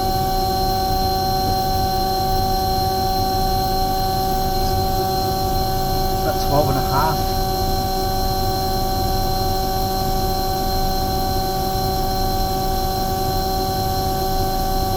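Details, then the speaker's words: Omni/EconoHeat/Morrheat waste oil heater burner, setting 12.5: steady even roar, constant hum, no surging or puffing; firing cleanly, runs really nice, startup smoke clearing. "so um yeah but that's it there it runs really nice 12 1/2"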